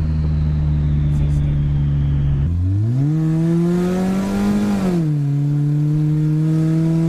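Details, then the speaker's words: Light throttle on a Honda Civic automatic with a newly fitted turbo kit, untuned, about 5 lb boost: engine note climbs smoothly and eases back, faint turbo whistle over a clean even pull, normal turbo spool. "I'm light on the throttle and you can hear that turbo"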